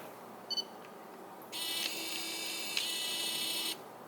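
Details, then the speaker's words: Tamron AF28-300mm F/3.5-6.3 XR Di VC LD (first generation) zoom lens autofocusing: a couple of quick beeps, then about two seconds of thin, high buzzing as the focus motor runs back and forth; slow and noisy but normal for this lens. "it's not very quiet when it focuses either. You can kind of hear the motor running back and forth."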